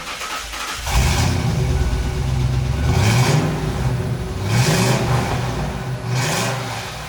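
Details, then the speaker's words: 1998 Ford Explorer Limited V8: deep V8 roar climbing in pitch through several strong pulls, then dropping back each time; clean, even and healthy under load. "Fala sério, né? Esse ronco merece demais o seu like, a sua inscrição no nosso canal."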